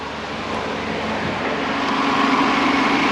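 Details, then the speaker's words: 2010 Chrysler PT Cruiser with 2.4 engine, running after rebuild following a broken timing belt; power steering pump screams with a steady, rising whine from low fluid. "power steering is not doing so well wonder if we're out of fluid yeah I hear the pump screaming it's not okay"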